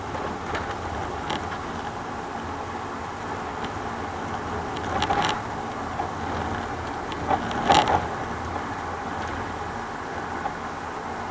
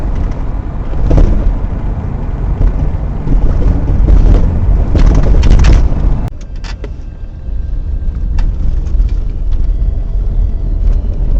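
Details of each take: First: 2000 Toyota Sienna driving over small bumps, camera at rear: sharp rattling clunks over road noise with repeating frequency; front struts replaced earlier didn't cure it; worn rear shock absorbers and bushings, fixed by replacing rear shocks. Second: 2000 Toyota Sienna minivan on a road test after rear shock absorber replacement: steady low road rumble with a few light bump ticks and no spring rattling.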